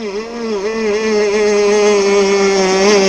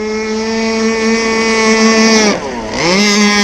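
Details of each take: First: RC gas boat two-stroke, hot, high-speed needle adjustment: buzzing high-revving note rises, then dips and wavers before holding flat; lean high-speed sag, fixed by richening the needle counterclockwise about 3–4 degrees. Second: RC gas boat two-stroke engine on a skiff with clutch, during needle tuning; high clean scream dips briefly then climbs straight back and holds a steady high pitch, picking up speed right away; normal, well-tuned acceleration.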